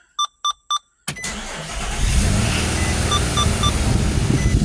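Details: A 2007 Nissan Xterra started right after a DIY oil change: three chimes, a quick crank, then it catches into an even, steady idle with no knocks or misses while the oil pressure gauge rises to normal; it sounds healthy.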